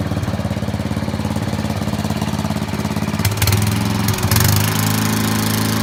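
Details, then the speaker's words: Old Murray riding mower with a 12 hp Briggs & Stratton engine, mowing in 30–33 degree heat: steady single-cylinder chug that firms up briefly as it takes the cut, with no misses or knocks; normal healthy running under load. "yeah I'd say the the old Murray didn't do too badly other than needing just a little pressure wash I think she's ready to rock for probably a while"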